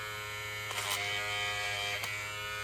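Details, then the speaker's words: Hair clipper with a replacement blade, lubricated, buzzing with short raspy snags as it chews and pulls hair instead of cutting cleanly, worse with the lever at zero; blade chewing hair. "Ó, esse barulho já significa que ele tá falhando, tá mastigando, mas já tá cortando melhor."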